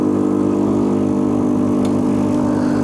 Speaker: this sound is normal that's from the vibration pump how does it work a magnet goes back and forth exactly with the 220 volt which means 50 movements per second